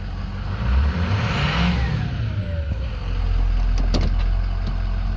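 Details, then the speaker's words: 2007 Ford F250 4WD 6.0 diesel, 147k miles, revving: faint turbo whistle rises and falls with revs, smooth strong pull, no leaks; turbo spools up perfectly, lots of power. Possible cylinder 7 glow plug code noted. "so turbo spools up perfectly. It's got a lot of power."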